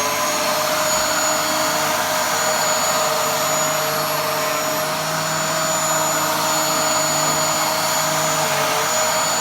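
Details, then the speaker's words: Dyson DC07 upright vacuum after cleaning, running with a steady, smooth motor whine at an even pitch with no rattle, scraping or surging, sounding much better than it did before. "now that sounds so much better than it did before"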